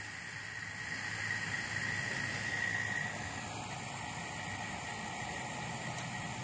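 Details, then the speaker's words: Vacuum pump pulling down a modified stainless pot still used as a CBD/whiskey vacuum distiller, vacuum rising to about 80%, the most small system leaks allow; steady even drone with faint high whine, no knocking, normal vacuum pump operation. "see that it is the vacuum is increasing it's gonna get to about 80% vacuum"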